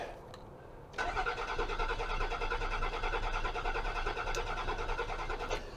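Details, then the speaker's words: 2003 Land Rover Freelander with MS43 ECU, sat since November 2018, throttle body found shut: starter churns evenly about four seconds, engine never catches; cranks but won't start, cause not yet identified. "doesn't even sound like it wants to light off let's give it a little bit of gas"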